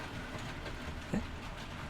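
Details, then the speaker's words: Double-O gauge model train on track laid straight onto a wooden shelf: low steady rumble with light irregular click-clack at rail joints, no grinding or squeal; normal smooth running. "it's nice isn't it it's nice and relaxing get the old click clack out the rails it's absolutely lovely"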